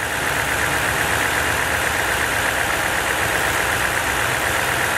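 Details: Idling after a Topdon ArtiBattery 101 charging test read normal (13.49 V unloaded), rpm not raised to 2500: even, unbroken idle with a steady hum and no knocks, misses or whine; engine and charging system healthy.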